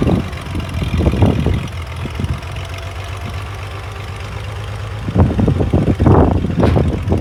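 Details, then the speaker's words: International 656 gas tractor: low idle that stumbles and surges in uneven bursts instead of a steady beat; the carburetor float needle is sticking and overfilling with fuel, before cleaning. "Our float needle is sticking as it is overfilling with fuel."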